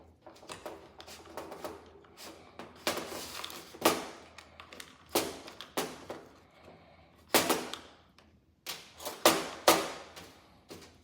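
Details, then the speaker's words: Servo on a used HPI Baja 5B RC car being stripped of gas parts for a budget brushless conversion: short buzzing whirs in quick bursts as it sweeps back and forth, crisp, no grinding or chatter; servo works fine. "So there's that. Servo sounds good. So it's probably works pretty good."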